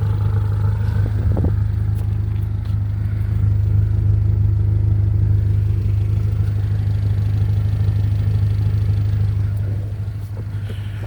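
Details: 1990–91 Honda Civic hatchback, B20 swap with HKS exhaust: deep steady exhaust burble at idle with even regular pulse, no puffing or ticking; exhaust sounds sealed and healthy.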